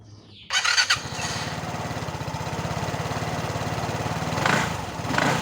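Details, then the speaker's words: Vespa automatic scooter after CVT repair: bad bearing replaced, not the suspected gearbox; engine starts and runs evenly with light revs, the earlier rough noise from the belt drive gone; smooth running. "Alhamdulillah tinggal modalin 30.000 udah halus kembali, selamat rasionya. Oke, PR pertama udah kelar, jadi ini udah halus lagi."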